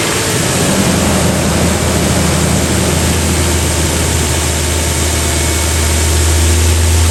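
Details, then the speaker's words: 2017 Nissan Frontier, 87,000 miles, after replacing belt, tensioner and idler pulley for a front bearing ticking: steady even idle hum, no ticking or chirping from accessory drive; old tensioner/pulley found bad. "all right no more chicken noise that looks like it's running fine"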